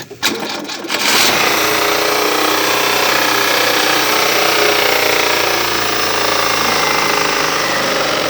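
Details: Fiat Uno engine making a strange noise: a rapid, uneven ticking clatter, about four per second, over a thin, bright engine hum; abnormal engine noise, cause unclear.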